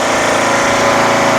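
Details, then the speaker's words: Craftsman LTS1500 lawn tractor repowered with rebuilt 17.5 HP Briggs OHV single-cylinder, untouched carburetor, valve lash redone, new fuel filter and lines: starts up great, steady even chug at a fast idle with no misses or knocks; healthy. "so we have a direct replacement 17 point five horsepower engine on the original stock model I connected the lights starts up great"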